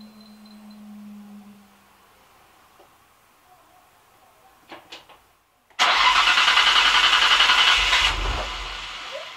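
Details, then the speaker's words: Nissan Stagea 260RS RB26DETT after oil filter relocation and inlet rebuild, fuel pump fuse refitted: about two seconds of busy starter cranking that nearly catches but dies; cranks but fails to start. "we're just going to crank it until we get oil pressure and then i'll put the fuels back in for the pump and then it'll run"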